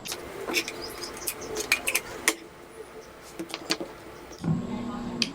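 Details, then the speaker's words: Ice crusher that spun weakly: after clicks, a low steady hum with no spin-up, showing the motor has connection. The start capacitor is tested next as the suspected failure. "So kung ah maririnig niyo guys ah umuugong lang siya. Ayan. So kung umuugong siya mga kalikot ah may coneksyon 'yung kanyang motor."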